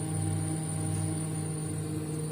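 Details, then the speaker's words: Showcase display cooler (model SCN 181 Series, 1.2 A) long unused: steady low compressor hum with soft hiss of freon heard at the evaporator; condenser and evaporator fans work, compressor runs but cabinet does not cool. "freon menandakan bahwa untuk mesin kompresor bekerja namun tidak terasa dingin"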